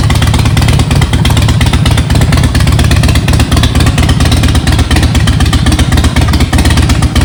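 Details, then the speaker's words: Harley-Davidson Softail V-twin, back together after new intake seals and timing check, runs with a loud, choppy idle, loose clattery beat and uneven firing; fault still present, cause unknown. "I've had it running just a little bit and let you hear it and see what it sounds like to you"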